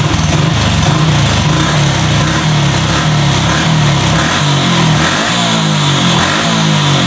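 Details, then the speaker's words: Honda Revo fuel-injected motorcycle with stumbling problem, after injector replacement and TPS re-setting: picks up cleanly from idle through repeated throttle blips and settles back without stutter; normal revving, idle normal. "nah ini nyala ya gak usah saya gas motor langsam normal coba tak Gas Gas lagi sini nah"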